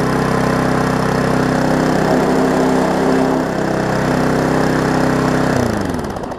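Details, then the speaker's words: Briggs & Stratton Classic push-mower engine on a Hyper Tough deck, held at high throttle: slightly uneven, shaky beat, then pulled down near the end; vibrating, and the owner thinks it runs a bit hot on throttle, cause unconfirmed. "it's vibrating some I would say I think you got it running just a little bit on the hot side"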